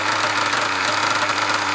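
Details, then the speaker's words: Nova B5R Evo nitro engine in a buggy, being run in (tank four), exhaust pipe fitted so mechanical and combustion noise dominate: steady high-pitched buzz with even internal rattle, no missing or knocking; normal running. "that's just the mechanic of the engine you know you're hearing the combustion you're hearing everything and not the exhaust"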